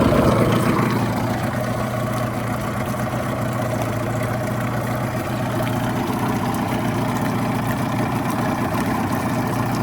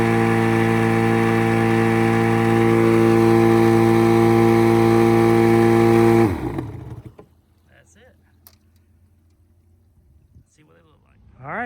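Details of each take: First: 1989 Yamaha 25hp outboard on flush water with the cowl on, after fixing a flipped fuel pump diaphragm (fuel strainer hairline-cracked). Buzzy two-stroke idle settles after a brief higher start, fairly even firing; running normally. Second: 1989 Yamaha 25hp outboard plug test on new plugs at wide open throttle: a steady high-pitched buzz, then cut with the kill switch. The hot plugs read lean, and the owner plans to adjust the mixture screw.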